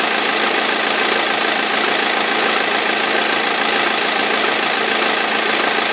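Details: 2003 BMW E46 320d diesel idling: a busy, fairly regular knock and rattle about three or four a second from the front of the engine; perished crankshaft pulley vibration damper, both belts eventually fell off.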